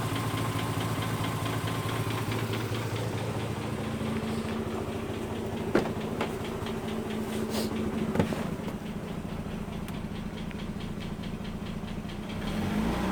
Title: RX8 engine knock